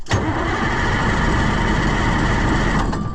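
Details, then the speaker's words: White 4-150 tractor that cranks but won't run after sitting, tried again after redoing the battery connections: starter churns about three seconds with no firing stroke. Owner later thinks the fuel lost its prime. "I don't think that's what was doing it I think it just lost Prime for some reason"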